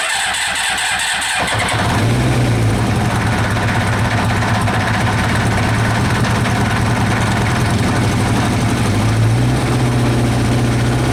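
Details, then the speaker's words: Kawasaki Eliminator ZL600 old four-cylinder bike that had not run, with fresh petrol, new spark plugs, cleaned carbs, new battery, fresh air filter and old oil, cranks and settles into even lumpy choke idle with a steady beat: running again, normal. "right guys good news I'm not gonna run for much longer because the oil over there needs changing badly but the bike is running it's running and this is why I love old-school Japanese bikes"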